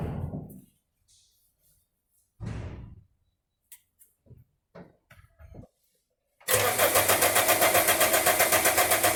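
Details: Diesel car after a valve stem seal and head gasket job with a snapped camshaft bearing retaining bolt: fires after a quiet spell and settles into a hard, even metallic knock, about four a second. Owner doubts injector knock and suspects terminal engine damage.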